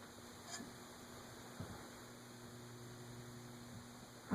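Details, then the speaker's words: 1920s Emerson 6-blade 30" Longnose/Fernleaf antique shaded-pole ceiling fan, stiff to start, oil cup loosened to free the rotor, run in series with a light (about 1.8 A draw): quiet steady electrical hum, no blade whoosh; motor hums but fails to start. "Nope. Still not going to start with the light."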